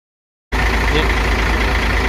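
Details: Hino FG8J truck, J08E six-cylinder diesel, 600,000 km, after its first valve adjustment (intake 0.30 mm, exhaust 0.45 mm). Even, deep idle with a steady beat and no top-end ticking or clatter. Quieter and smooth.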